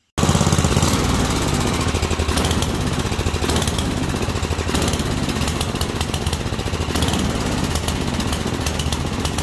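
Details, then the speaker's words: Single-cylinder carbureted engine deliberately richened; on snapping the throttle it responds and jumps up, then sags and bogs instead of clearing out, a rich condition. "it's the opposite of the lean condition when you snap the throttle it doesn't fall flat on its face it responds jumps up but then as soon as it responds jumps up grabs that rpm it falls flat on its face"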